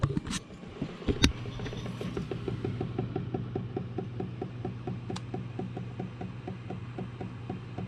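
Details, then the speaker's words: Home hydronic heating after circulator pump replacement, heat kicking on: low steady pump hum with a quick run of light ticks, about five a second, as the PEX tubing expands. "the tubes expanding that's the only problem with the the pecs tubing that I use you'll hear that all through the house when the heat kicks on"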